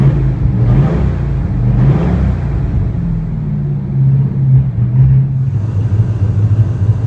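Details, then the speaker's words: 1969 Chevy C10 with a non-original 283 V8, small cam, Unilite ignition, after timing and carburetor adjustment, earlier stalling: deep steady rumble swelling smoothly with throttle, no knocks or misses; normal running V8. "We've had some trouble with it stalling and stuff, but it sounds good right now."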